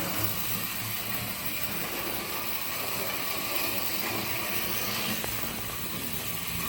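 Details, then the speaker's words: HST model locomotive with CD motor and DCC conversion at full, insanely fast speed: high-pitched whir with a light dry rattle; the gears sound rough and owner thinks they need a little lubrication. "So I think all I need to do is lube the gears up a little bit maybe. It sounds a bit rough. I'll get up to speed and you can hear it rattling a little bit."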